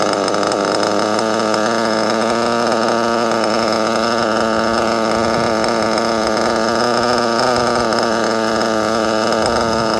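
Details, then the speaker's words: Nitro RC car engine at idle: high buzzy idle wavering slightly in pitch as the brake linkage, set too tight with too little gap, tugs the throttle off idle; idle speed change from brake linkage adjustment. "why you want to make sure when you say your linkage adjustment you get that little bit again No it's gonna alter your item"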